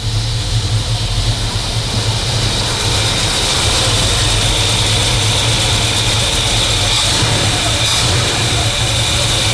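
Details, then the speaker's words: 1965 Cobra Fastback with replacement 302 V8, high-lift cam, no thermostat fitted, choke being tuned: warm idle with uneven loping beat over steady rumble; lumpy idle from the high-lift camshaft, won't idle smooth. "You'll never get it to idle smooth cuz it's got quite high lift cam in it."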